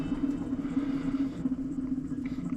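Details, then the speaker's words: Hustler Raptor zero-turn mower, about 200 hours, deck belt removed: spinning deck spindle by hand gives steady hum with gritty, scratchy rough bearing texture; idler pulley also noisy and due for replacement. "deck bearings sound a little bit rough too this about 200 hours on this machine"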